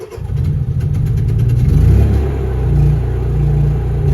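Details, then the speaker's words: Two-wire start generator auto-started by Victron Cerbo GX relay: brief cranking, then a clean start settling to a steady even drone. "now we go to bulk and you hear the generator load being slowly applied"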